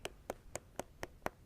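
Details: Roller skate wheel spun by hand with axle nut correctly adjusted: light regular ticks about four per second, spins freely and long, no drag or grind; loose nut sounds deeper, overtightened nut stops wheel instantly.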